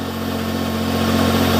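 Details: Petrol Smart ForTwo revived after a seized alternator and failed starter, idling after a restart: smooth, even low hum with no knocks or misses, running normally. Owner reports variable boost and possible limp mode on the road, but diagnostics showed nothing.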